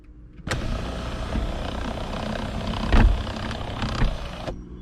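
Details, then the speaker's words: 2005 Mini Cooper S R52 convertible, convertible top sunroof section, after fitting a salvage replacement unit: smooth even motor hum with soft thumps as the roof closes fully and stops cleanly. Owner believes the original unit's gears were the problem. "Fully closed, everything works. We'll open. So it seems to me that it was the gears on the original unit."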